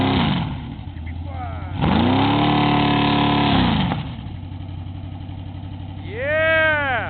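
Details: Newly built Chevy big-block V8 for a 1980 Camaro, 10:1 all-forged with mechanical roller cam, first start: lumpy cam chop at idle, revs up cleanly and settles back; strong and healthy.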